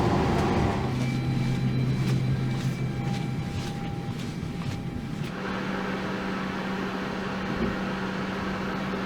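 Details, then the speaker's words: Airbus A321-200 on ground, hydraulics powered for maintenance check, heard above the wheel well: deep buzzing bark with steady tones shifting partway, the hydraulic power transfer unit moving power between systems; normal operation. "we're right above the wheel well, where is the power transfer unit, and you can hear this barking sound, which it's barking sound, so the passengers always think that some kind of dog is just underneath"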